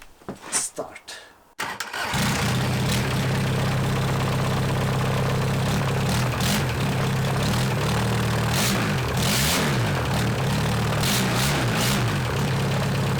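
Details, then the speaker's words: Junkyard VW Caddy 1.9 SDI diesel, about 190,000 km, restart; worn belt pulley and bearing due for change, belt slightly off; catches after short crank into even steady low diesel idle, no knocks or misses, healthy. "I'm so excited to hear this run so freakin cool again"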